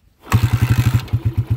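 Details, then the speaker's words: Honda TMX 155 single, first start after a full overhaul with all-original parts and valves set loose at 0.08 mm intake and exhaust: it catches quickly, then settles into an even thump of about eight or nine beats a second, a smooth, healthy idle. "Okay, ayan o, napaka-smooth. Napakaganda mga kabro."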